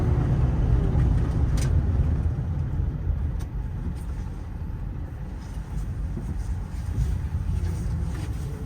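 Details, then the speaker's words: 2012 Ford F550 crane truck, 6.7 diesel, about 121k miles: deep idle with loose uneven rattling chatter from underneath, about four a second; typical PTO gear chatter with the PTO disengaged, goes away when the PTO is engaged. "You'll hear the typical 6.7 PTO chatter coming from underneath the truck. That'll go away when I kick the PTO on."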